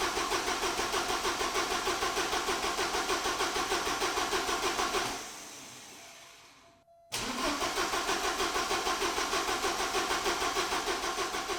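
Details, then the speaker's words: 1986 Porsche 944 after fuel injector troubles: starter cranks evenly and the engine fired once for a second, then only cranked with no further firing; the pulled spark plug was dry. "as you guys just saw when I was cranking it it did fire for a second and then from then on all the cranking was just that cranking no signs of firing at all"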